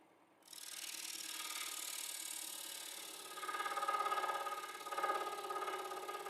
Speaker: yeah you can hear the chattering of the blade cuz it's so dull